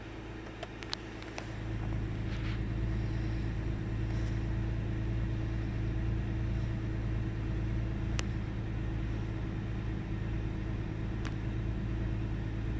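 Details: 1998 Ford Taurus SE OHV V6 idling with the hood open: steady low idle with an uneven, loping beat, occasional stumbles and speed dips. Intermittent sputter and misfire with mild rpm fluctuation; earlier swung 400-1000 rpm with no warning lights. Cause unknown.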